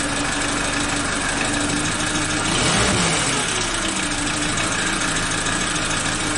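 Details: Suzuki Katana (Jimny) engine restarted after timing belt and tensioner replacement and valve clearance adjustment, oil level checked mid-range; steady, even idle hum with a brief swell midway, no knocks or misses: normal idle.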